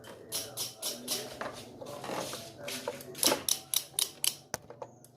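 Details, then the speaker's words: Honda Vario 110 carburettor scooter with a new battery and a strong horn: sharp dry clicks about four a second each time the starter button is pressed, but the engine never turns over; the starter clicks without cranking. "yaitu apabila di starter itu bunyinya cetek-cetek ya teman-teman Nah itu permasalahannya"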